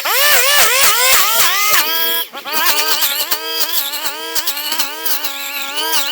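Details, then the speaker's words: STIHL string trimmer cutting tall grass with line about 4 in too long (guard's line cutter missing); high engine note dips and bogs repeatedly, engine working much harder under the overlong line. "Okay, that line is way, way, way too long. So, I did notice this earlier. The line cutter on this brush cutter guard right here is missing. I don't know if I just got rid of it or what, but my line is really about 4 in too long. Did you hear how much harder that works?"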